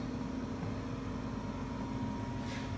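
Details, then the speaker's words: Reznor UDAP45 direct-vent gas heater after repositioning the igniter rod (1/8 inch gap kept): inducer blower runs with an even, steady hum, no rattle; the unit now lights consistently about 4 seconds after gas on; normal. "hear the first fan is on firing and lit and this is about the 10th time I've tried it"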